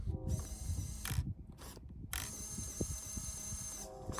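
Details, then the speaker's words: FMS FCX10 1/10 K5 Blazer RC crawler stock steering servo: high-pitched buzz with ratchety clicking as it strains and stalls; turns tires only while moving, does nothing under any pressure, too weak to use and needs replacing. "so now if I start driving it will kind of turn the tires while I'm moving but soon as there's any pressure on it it's not going to do anything"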